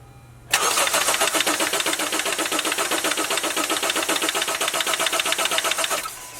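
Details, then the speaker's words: 2018 Honda CR-V, 2.4L Earth Dreams, 150,000 miles, after timing chain tensioner replacement: starter cranks at about four even pulses a second for five seconds with ignition-coil fuse 15 pulled, never firing, to build oil pressure. "Then I'm going to go inside the car and I'm going to turn the key and we're going to cycle the engine several times to rebuild oil pressure without actually firing the engine."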